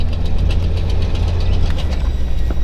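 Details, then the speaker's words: Mercedes W222 S-Class on a test drive: light, rapid ticking from under the car while steering and turning, heard on both sides over road rumble. Typical of a worn CV joint. "It still makes sound when turning the steering wheel while driving. There is a sound from under the car."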